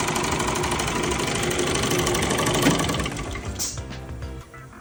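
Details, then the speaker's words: Car wash high-pressure pump tested after rebuild, on high-pressure soap with outlet blocked by tennis ball: steady rapid knocking about three per second, then winding down; valve parts reassembled in wrong order and jammed. "Well, that didn't work. Okay, so I took the pump apart, and obviously I got the order wrong here, because these are jammed on now rather than loose."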